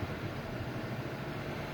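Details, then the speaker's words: Dodge V10 at steady held throttle near idle, misfiring a lot, which it has never done before: low, uneven chuffing with irregular dropped beats instead of a smooth drone; engine misfire. "I noticed it was kind of misfiring a lot at idle, which it's never done before."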